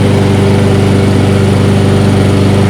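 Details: Toro 22-inch Recycler mower reassembled after being found taken apart: small single-cylinder engine holds a steady, even beat at constant speed with no misses or knocks; runs smoothly. Normal running.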